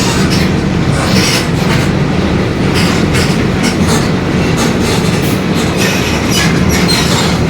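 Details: 2021 Marcopolo Torino S on Mercedes-Benz OF-1721 BlueTec 5 chassis, long city bus, heard from inside while moving: a steady low growl under the road rumble, the differential growling.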